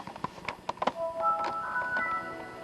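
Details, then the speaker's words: Home theater PC after video card upgrade, Windows startup chime through TV speakers: stutters into broken fragments for the first second then plays smoothly; intermittent choppy audio, cause unclear. "Yeah, there we go. There's some of that choppiness. But it does actually happen to work."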